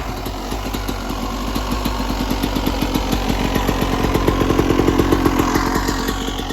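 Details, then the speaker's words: 1996 Yamaha YZ250 two-stroke after carb tune-up, started cold at about 13 degrees; crisp, steady idle with even popping pulses, slightly lumpy from cold, healthy. "Okay, probably take a couple kicks, get some fuel into the carb. Take it off. Already sounds good. Still a little cold."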